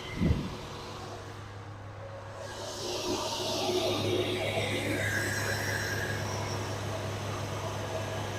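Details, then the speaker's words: 1974 Dodge Dart Swinger, just over 45,000 miles, after a rough hard start: settles into a steady low hum, even idle with no misses. Normal idle. "got a feeling my starter bendex is sticking or we the tooth out of the flywheel which I don't care cuz I don't intend to use this motor transmission anyway but there she's running finally"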